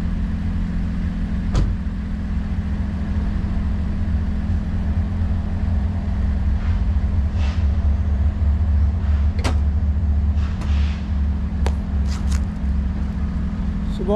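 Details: Car at idle with a loud, deep, blatty, unmuffled exhaust note from a broken, leaking exhaust pipe.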